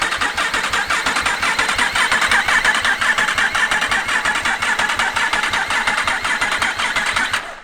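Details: Yamaha R1 race bike, freshly rebuilt engine just refitted with throttle bodies and loom, oil filled to halfway on sight glass: rhythmic, even starter chugging for about seven seconds without firing, then stopping; normal cranking before first start.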